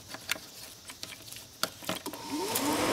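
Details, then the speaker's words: Cooling fan with the signal wire from the computer disconnected. After a few clicks, a whir rises steadily as the fan spins up with no command signal. Shorted fan control module. "do you hear it so shorted module no questions about it"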